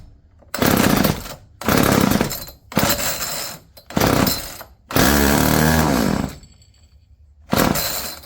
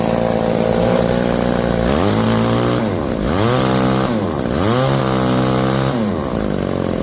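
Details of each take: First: Old chainsaw winch two-stroke engine run on gas squirted in after good spark confirmed: short ragged bursts catching and dying, never holding steady; runs poorly, carburetor cleaning suspected, not confirmed. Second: Old two-stroke chainsaw winch after carburetor cleaning and warm-up: revs up and down smoothly between idle and high speed, crisp throttle response, no bogging; normal running.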